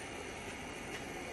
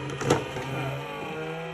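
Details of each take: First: EGO 56 V lawn mower battery charger after cooling fan replacement, formerly made horrible noise: steady smooth airy whoosh with no ticking, rubbing or wobble; new fan different make; normal fan operation. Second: EGO 56-volt lawn mower battery charger, with a battery inserted, before repair: a steady low hum with a rough, uneven buzz underneath that stops abruptly; the charger's cooling fans are worn out and failing, and the owner plans to replace them.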